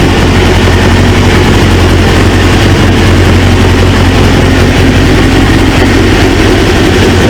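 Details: 1999 Suzuki GSX-R 750, newly installed used engine, warming (gauge about 143, fan expected around 220): loud steady low idle, even throughout, no knocks, misses or hunting; healthy idle.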